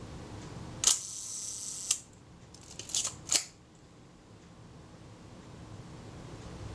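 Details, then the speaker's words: Kodak Retina Reflex type 025 camera during servicing, film release being adjusted. A few crisp shutter clicks, but the quieter second click of the film release never follows the solid first click; release adjustment needs correcting. "there are two clips when the film release works there are two clicks and I'm hearing the first click but not the quieter second clip"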